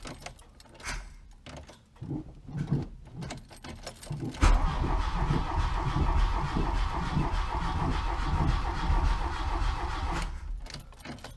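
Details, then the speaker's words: Mk1 VW Rabbit after reassembly with new timing belt and tensioner: starter churns steadily for several seconds with no firing; no spark because the distributor was left unplugged. "It's probably having... Well, either your timing's off or the spark's off. Kind of sounds like it's not getting spark."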